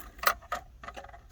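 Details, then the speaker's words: Toyota pickup with no-start fault: key on, clutch not pressed, sharp isolated clicks with no cranking as the starter won't turn over; owner spliced a jumper wire from relay to starter solenoid so a cab button starts it. "don't know if you guys can hear that on the camera, but clicking, nothing's happening."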